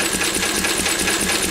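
Quick, even firing beat with a light mechanical clatter and no misses or knocks over the short run; this old stationary engine sounds healthy.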